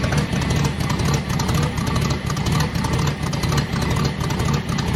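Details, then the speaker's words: Old car, first start in a few weeks in cold weather: steady even idle, low regular beat about once a second, no knocks or misses; 5.5 psi pressure running, owner hears possible power steering noise; normal idle. "Oh, that sounds good. Sounds real good. And we're at 5.5 pounds running."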